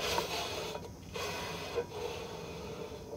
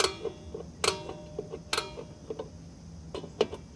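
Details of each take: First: 2001 Toyota Corolla rear drum brake spun by hand after several star-wheel clicks up from minimum adjustment: a faint, intermittent scraping each turn as the shoes first touch the drum; not yet at full contact. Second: 2001 Toyota Corolla rear drum brakes, new shoes and drums, star wheel turned from minimum adjustment: sharp single ticks notch by notch, each tightening the shoes; several clicks needed before shoes rub the drum; normal adjuster clicks.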